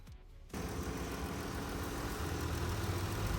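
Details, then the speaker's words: 2017 Dodge Caravan after replacing the cylinder 4 fuel injector and ignition coil for a P0204 misfire: settles into a steady, even low rumble with no stumble, no engine lights; normal idle. "There it is, running smooth, and no engine lights, and we checked the fuel rail."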